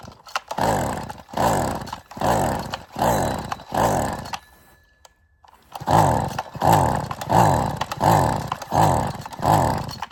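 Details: Small two-stroke string trimmer, tested outside after its throttle cable was rehooked, fuel line refitted to the nipple and primed, revs in repeated bursts about one per second, climbing and dropping cleanly each time; it runs fine after the fix.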